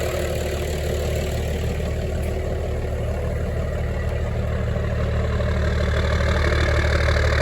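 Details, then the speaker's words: 1996 Dodge Ram 2500 Cummins 12-valve diesel sitting seven years, started after priming via lift-pump primer: steady, even low diesel clatter at idle, regular beat, no misses or knocks; normal cold idle. "pretty smooth for being cold cool just let it warm up"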